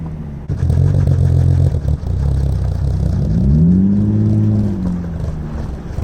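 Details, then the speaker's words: 1989 Toyota Supra revived after 8 years abandoned, barely staying running, 10 psi oil pressure, missing vacuum line: rough, struggling engine with a deep rapid clatter rising with revs. Bad rod knock. "We got the Supra running. We're gonna attempt to drive it home at this point. I'm having a hard time staying running, but yeah, we'll see how it goes. You can hear that rod knock. Pretty bad."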